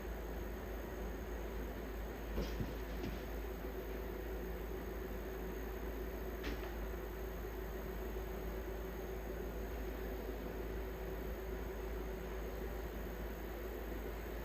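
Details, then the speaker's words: Arcade cabinet bought for parts after sitting about 10 years in an abandoned apartment, first power-up: the monitor lights a super-bright white screen but emits a thin, constant high-pitched squeal over a low steady hum; cause not confirmed. "But I am happy that the monitor is on. It's making a weird noise though."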